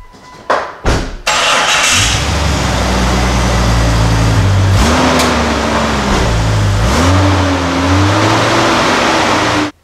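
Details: 1999 Jeep Cherokee XJ 4.0L after replacing a cracked exhaust manifold that ticked on acceleration, with a flex pipe and aftermarket muffler: cranks, settles to an even idle and revs cleanly twice, slightly throaty, no ticking. Normal start and rev.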